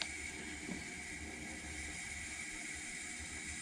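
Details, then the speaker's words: 1992 Ford E250 Econoline van, AC converted from R12 to R134a and recharged, engine and compressor just off: steady soft hiss as high and low sides equalize through the orifice tube; normal, not a leak. "once you turn it off it sounds like it's leaking but it's not leaking it's the pressure equalizing between the high side and low side through the orifice tube"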